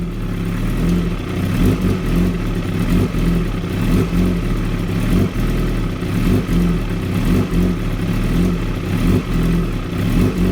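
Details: 2016 Kawasaki ZX-10R: idle surges and stumbles every second or so, revs rising and dipping with uneven firing; very rough, unstable idle, cause unknown.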